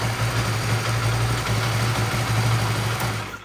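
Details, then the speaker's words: Honda Vario Techno 125 FI scooter test run after water pump replacement and coolant refill: smooth low idle with steady hum, no rattle or whine, then shut off; running normally. "Oke teman-teman ya, motor menyala dengan baik."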